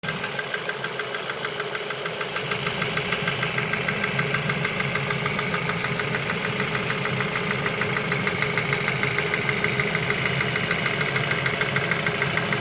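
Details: Ford Focus 2 idling with a sharp, regular tapping of about one or two knocks a second over the running sound; a clear engine knock.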